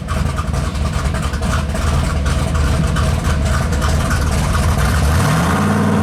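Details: Mopar 451 cubic inch big block stroker (400 B block, cast iron motorhome heads, carbureted) on dyno at full throttle: deep V8 roar climbing smoothly, no stumble, breakup or popping; float/carb issue gone, picked up power; healthy pull.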